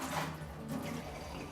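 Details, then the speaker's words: Kitchen tap right after a new water filter is fitted and turned on: soft gurgle and rush of water sputtering with air, water cloudy from air that will clear within a couple of hours, no dirt; filter flowing normally. "okay so here we go so if you see the water it looks a little bit cloudy but it's actually not really dirty it's actually the water's full of air"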